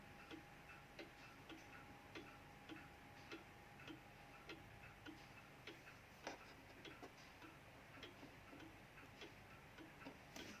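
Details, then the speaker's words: 1936 Junghans W64 pendulum clock, never renovated, ticking quietly with tick and tock unevenly spaced, a limping rhythm; the clock is not yet in beat. "kayak gitu guys ya ini belum seimbang seimbang banget sih"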